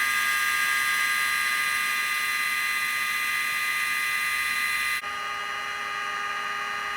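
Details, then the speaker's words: Mojave Grom RC on 3S with upgraded 32,000 RPM Rocket 25mm motor cooling fan replacing weak stock fan: strong steady high-pitched whir, even pitch, then slightly lower level; normal cooling fan running. "now you guys could hear that fan. That thing's pretty strong. It's a 32,000 RPM rocket, 25mm from Amazon."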